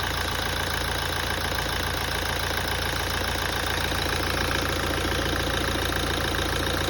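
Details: 2017 Toyota at idle after a major service. A regular light knock at roughly 210 a minute rides over a steady idle note: engine knocking, cause unclear.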